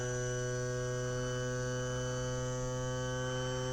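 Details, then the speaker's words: 1986 90hp Mercury Tower of Power outboard on an Alumacraft boat, normal trim pump: steady electric motor hum, then slows as trim hits the shock-absorber-like cylinders, compressing them, before breaking free. "then when it hits that right there you can hear it it's actually having to compress those cylinders and when you go back up it also keeps it going slower Until It Breaks free of those cylinders and then boom"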